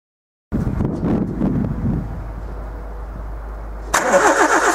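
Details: 2001 Nissan Micra petrol engine idles with belt tension loosened to test a suspected failing alternator bearing; a harsh high, wavering whirr confirms the bad bearing, and the alternator was replaced.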